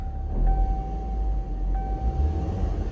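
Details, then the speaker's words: 2007 Hummer H3 after jumpering fuel pump ground wire to frame, fixing crank-no-start: low even idle rumble with faint steady tone, no misses or stumbles; running smoothly. "this vehicle is now starting and running properly"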